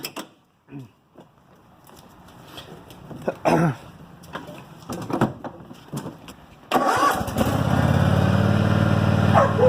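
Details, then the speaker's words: 2005 Cub Cadet RZT 50 mower after right-side hydrostatic transmission rebuild and refill: clanking and a dog barking, then the engine catches and settles into a steady, even drone without misfires; normal running. "Oh all right mowers back up and running we're good to go"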